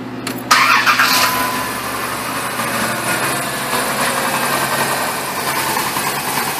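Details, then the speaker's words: 2000-2010 Dodge Caravan with P2305/P0300 misfire codes, coil signals tested with test light; after brief start-up the engine settles into a steady, even idle with no skips, not misfiring at the moment. "it actually sounds like it's not missing right now either which kind of sucks kinda hard to diagnose the damn thing"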